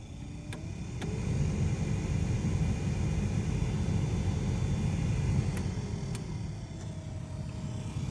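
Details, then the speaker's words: Toyota Tacoma passenger-side blower motor with the air on: a steady droning hum with a thin tone over a low rumble. A noisy blower motor. "all right so what i got today is i'm trying to fix the noise coming from the passenger side of this tacoma and it is the blower motor when i turn on the air"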